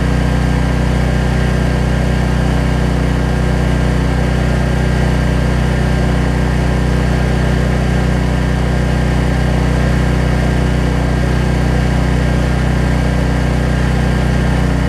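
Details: Troy-Bilt 550-watt generator, after a no-spark fault was traced to the low-oil sensor module; runs with no load, a steady even drone with a smooth unchanging beat and no misses or knocks.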